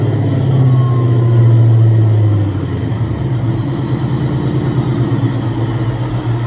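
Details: Supercharged Coyote V8 Ford Fairmont on dyno, about 900 rear-wheel hp, new Magnafuel 750 pump on boost-referenced return fuel system: deep steady full-throttle drone, no misses, stumbles or knocks; plenty of fuel, normal WOT run.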